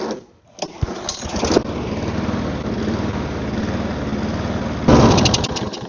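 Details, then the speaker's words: Mower left outside, after carburetor cleaning and spark plug refit, catches and runs with an uneven, hunting beat that surges near the end; rough running, owner thinks the carburetor needs cleaning better. "One of the things I could do is, like, it's running, it's just not running good."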